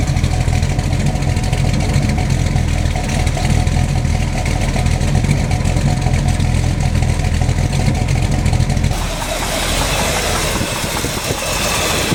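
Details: Freshly built SBC 350 V8 (aluminum 64cc heads, 10:1 flat-top pistons, Edelbrock intake, 600cfm carb, likely out of tune) idling in gear; lumpy idle with tapping knock persisting with each plug wire pulled, owner suspects piston slap or flexplate, occasional carb tick.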